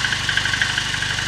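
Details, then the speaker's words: VAZ 2109 at about 192,000 km on its original unrepaired engine, at cold idle: fast, light tappet clatter over the engine beat. Owner attributes it to worn tappet seats and clearance and expects it to fade when warm. "Стаканчики брякали сильнее. Ну и завязкости тоже много зависит. Они брякают, потому что ещё не вошли, ну, тепловой зазор ещё. Когда будет машина прогреется, тогда этот звук иснет."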